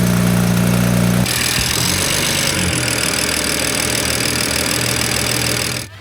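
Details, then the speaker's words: BMW E93 turbo petrol idling: dull knock about four per second and light wastegate rattle; aftermarket aluminum oil cap's cage fell apart, oil pressure not properly regulated. "Yep, you guessed it. Not only does it have a little bit of wastegate rattle, it has some uh not so kind knockk knockock noises."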